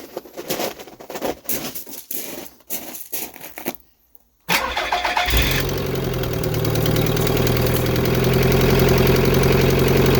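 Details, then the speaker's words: Nissan Figaro turbo engine after new distributor cap, rotor and turbo gaskets: cranks, catches and settles to fairly even idle with rapid puffing tick from exhaust leak at blown downpipe-to-cat gasket. "as you can hear although it's running a lot more smoothly there is still an exhaust leak while I was putting the turbo back together I actually found that the gasket between the down pipe and the cut has also blown"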